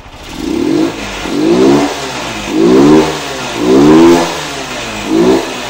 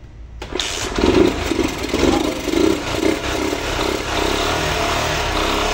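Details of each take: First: 1999 Honda Titan revived after sitting a long time, throttle blipped: a faint light knock under the revs, with smoke and light valve tapping. The mechanic suspects connecting-rod play, not confirmed. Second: A 1999 Honda Titan motorcycle, parked for a long time and suspected of low compression, is started after gasoline is injected into the carburetor. It cranks, catches and runs evenly with throttle blips; slight valve tapping is mentioned. Normal engine start.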